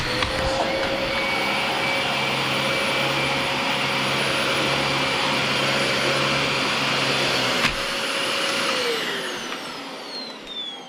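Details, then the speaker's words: Dyson DC25 vacuum after replacing its dried-out motor with a new Dyson motor, plus new filters and HEPA filter: strong, steady high whine with even airflow rush, no rattle or grinding, smooth spin-down; "like a whole new Dyson", normal running. "it's like a whole new dyson"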